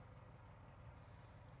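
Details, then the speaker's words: Pop's old V8 truck, sat about 12 years, idling to charge after alternator and voltage regulator troubles; quiet, even low rumble with no knocks, ticks or hunting: normal idle. "We're going to let this thing sit here and um idle for a little while and charge up. Make sure everything's good."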